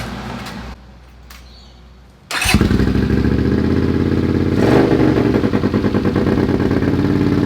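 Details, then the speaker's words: Honda CX 500 scrambler with second-hand muffler retrofitted to exhaust: quiet start, twin catches and idles with steady even muffled exhaust pulses, deep controlled note; baffled exhaust sounds much better. "I'm happy with that. That sounds way better."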